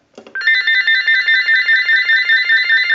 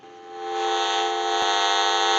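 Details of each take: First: General Electric 27909 cordless telephone during final checkout after repair, ring cycle started from analyzer: bright warbling electronic ring bursts steadily with even level, no dropouts; normal ring cycle. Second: General Electric 27909 cordless telephone with a transmit issue, on dial tone through an analyzer: steady high buzzing hiss with fixed whistling tones, radio-frequency interference noise.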